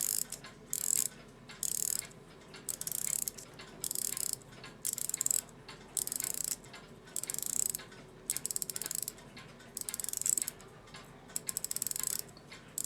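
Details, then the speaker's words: German Europa 7-jewel alarm clock from about 1945-1960; bursts of fine rapid clicking as the alarm key turns without ever tightening, the spring popping past a makeshift catch. The alarm mainspring is slipping in its barrel after an attempted repair. "Yep, now it's just turning like it was before. It will run briefly. One more time before I take this all back apart again and figure out something else to do. I hear it popping past my little catch."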